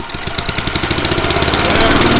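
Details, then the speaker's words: Craftsman mower on straight fuel from the tank, after fitting the exhaust clamp: even putter of a small single at about ten pulses a second, much quieter, no harsh bark; normal running. "Alright guys, now that sounds like an actual mower. It's not freaking ear-piercing loud."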